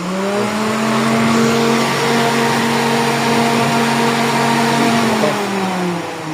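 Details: Suzuki Celerio (complaints of hard starting and vibration) after fitting a larger high-speed replacement cooling fan motor: smooth, constant hum at one even pitch with no rattle or scrape; normal cooling fan running.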